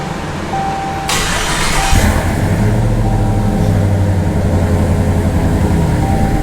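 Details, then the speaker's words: Hellcat 6.2L supercharged V8 swapped into RAM 1500 pickup: catches and settles into a lumpy, uneven idle with a wandering beat; air still in the returnless fuel rails, and an unplugged sensor was also found. "we have to get all that air out of those lines that's a problem well that's the thing with these systems because they are a returnless style it doesn't really cycle the fuel so it kind of has to make its way through the air"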